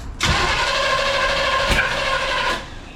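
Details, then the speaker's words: 1969 Impala, new distributor cap and plug wires, number 1 at TDC: about 2.5 seconds of steady rapid cranking with no firing; owner suspects ignition timing or plug wire order is off and will shift the wires one position. "The timing's off."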